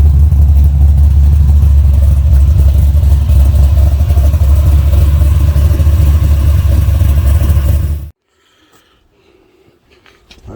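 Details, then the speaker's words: 1969 Camaro, blueprint EFI engine swap with 5-speed, about 600 hp, link bar roller lifters, freshly painted headers, after a broken number 1 spark plug was found; deep, steady V8 rumble with faint valve train clatter; runs well, then shut off. "But engine sounds good. Valve train's a little noisy, but some old link bar roller lifters."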